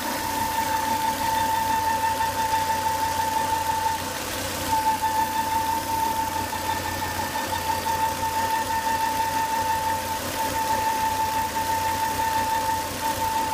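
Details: Volvo S80 2.5T with high intake vacuum (oil cap sucks air hard), after 10-20 minutes running: a steady high whistle near 900 Hz over a smooth idle, from a failed crankcase breather, fixed by replacing the breather box/filter.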